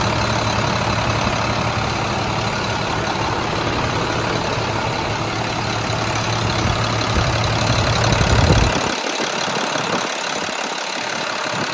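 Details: International 466E diesel, first start after rebuild, finally running: steady, even idle with a low regular beat, no knocks or misses, then drops away; sounds healthy.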